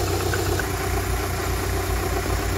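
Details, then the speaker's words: Rover K-Series engine (Project Beatrix) just after coolant refill and bleeding, before warm-up: steady even low idle, no misses, ticks or knocks, soft hum on top; healthy idle. "hers absolutely purring right so that's a level now we're going to just let it warm up"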